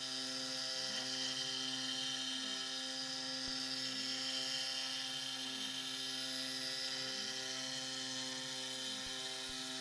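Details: SX2.7 CNC mill conversion with NSK ATC spindle cutting a lathe leadscrew handle: high spindle whine with harsh uneven chatter rising and falling along the toolpath on the ramp, end mill struggling, cause unknown.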